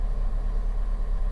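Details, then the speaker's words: Fiat 500 salvage repair, engine started for MoT prep: steady even low idle rumble, no knocks, misses or whine; battery light now off, power steering working, charging fault was the earth strap so alternator is fine; normal idle. "so i started it up and it's all fine it's all absolutely fine battery light's gone off past steering's working fine"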